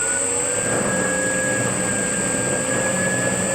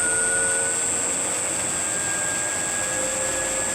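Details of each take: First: Circa-1940 Hercus lathe with 80 years of wear, under rebuild, running with a steady droning hum and held tones and heavy vibration; pulleys and possibly a gear suspected out of balance, not confirmed. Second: 1940 Hercus lathe after static balancing of the spindle pulleys, running up to top speed 1125 rpm; steady even hum with constant high tone and no knocks or wobble, only slight vibration at top speed; normal spindle run.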